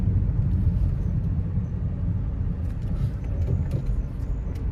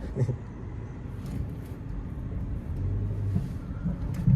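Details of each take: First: Nissan Almera manual on test drive after suspension repair for clunking underneath: steady road rumble over the rough stretch with no knocks or clunks from the front end; no suspension clunk. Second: Nissan Almera manual, warmed up, driven slowly in first gear over bumps: a dull, heavy thud from under the front; found to be a loose strut top mount and worn front shocks.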